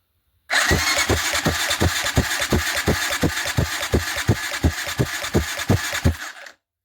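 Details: TT 250 motorcycle with a 166FMM engine under rebuild, cranked on the starter after cleaning its oil passages: steady cranking with even compression thumps about three per second, no knock or rattle; turns over freely.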